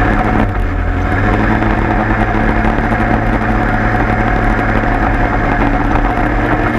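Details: 103 moped two-stroke after leak fix, plug found very rich: steady even idle with smooth low burble, no stumbling or hunting; idles cleanly.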